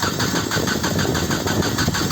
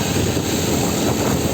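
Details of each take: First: 1996 Nissan Altima, cranking in cold weather with no spark seen: the starter turns the engine at a steady churning rhythm of about five pulses a second, but it never catches. A crank no-start. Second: 1996 Nissan Altima after a crank-no-start with code P0340, fixed by fitting a brand-new distributor: steady, even idle with no misses or knocks, a smooth hum under some wind; the engine now runs cleanly.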